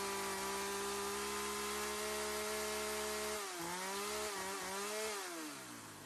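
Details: Sachs-Dolmar 100 two-stroke chainsaw, which would not idle even after a carb rebuild (air leak suspected): a steady high buzz, then the revs drop, wobble and settle. After tuning it holds a clean, normal idle.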